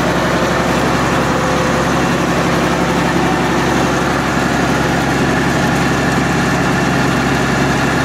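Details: MEP-006A military 60 kW diesel genset, first run after sitting 3+ years, enclosure doors open, circuit breaker off: steady, even diesel drone, no knocks or misses, quieter than expected. Running normally; frequency reading not displaying correctly.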